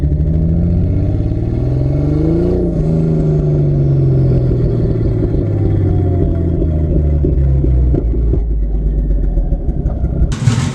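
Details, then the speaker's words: Barra-swapped Ford Mustang drift car at idle: lumpy, loping, shaky rough idle running very poorly; air-fuel ratio pegged lean above 17 and cylinder one reading 40% colder; misfire from a cylinder one injector that was not firing. "it fires up it idles but something is very much not right it is running very very poorly"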